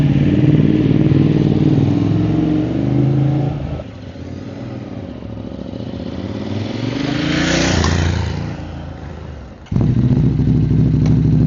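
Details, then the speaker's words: Ducati motorcycles leaving an event: lumpy twin idle with a dry metallic rattle on top that fades as the bikes pull away, the normal rattle of a dry clutch. "Sounds like there's a dry clutch in there. Hear the rattle of that dry clutch."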